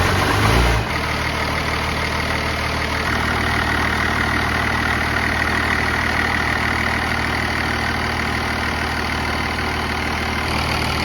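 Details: 1969 Dodge D200 Sweptline with a swapped 5.9 first-gen 12-valve Cummins (grid heater), cold start at 23°F in Missouri. It fires right up into a deep, even, steady diesel idle with firm clatter and no misses: normal cold start idle.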